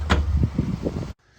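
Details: 2007 Chevy Uplander, 248,838 miles, test drive forward: quick run of four or five dull thumps then quiet; loose, worn lower control arm bushing that fell out clunking.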